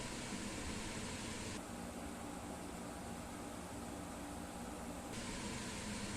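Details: Springer Midea 10,000 BTU window air conditioner (QCI108BB) at maximum, heard from outside where its compressor sits: steady even low hum with constant airy rush, no knocks or rattles; compressor running normally.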